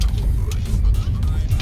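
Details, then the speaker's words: Kia Cerato after shock absorber and mount replacement, road test: steady low road rumble over rough pavement and bumps, the earlier front suspension knocking gone. "e agora também testando o carro é aquele barulho que tinha parou tem mais nada passando arrombada"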